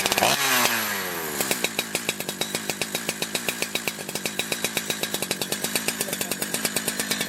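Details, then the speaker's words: Holzfforma G372 XP chainsaw that wouldn't hold a tune, after crank seal replacement: steady two-stroke idle with even popping about four a second and no surging or air-leak hunting. Runs consistently, and the tune has barely changed. "all right so I've let it warm up for a few minutes and it seems to be running pretty consistently um tune hasn't changed that much"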